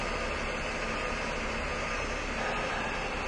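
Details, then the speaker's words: 2004 Ford Taurus with codes P2195, P2196 and P2197 and reported severe idle/performance problems; warm idle is a steady, smooth hum with no stumbles or surges, and the idle air control valve is judged working during diagnosis. "so I mean the idle sounds great but uh we're doing pretty good there"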